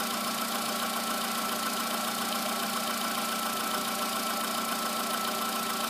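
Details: Cold morning start and idle of a VW Polo sedan, just under 9000 km after fitting modified pistons, oil changed 5000 km ago: light, fairly quick ticking knock about three to four per second over a steady hum; origin unconfirmed.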